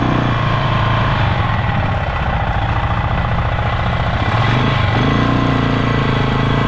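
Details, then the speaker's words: Polaris Sportsman 500 single after top-end rebuild, riding under load: irregular mechanical clatter over the thump, like something loose; cause unknown, owner may check CVT clutch chatter. "well it goes it's got power it seems to be running good but I got this crazy like clattering noise coming from the motor"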